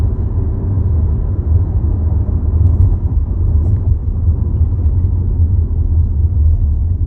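Deep, steady droning rumble with nothing above it, a vibration boom at idle; cause not clear by ear. Cause suspected, not confirmed.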